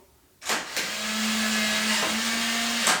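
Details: Nuki Smart Lock 2.0 unlocking: a click, then a steady mid-pitched motor whirr for about two seconds ending in a clunk; loud but a normal unlocking cycle.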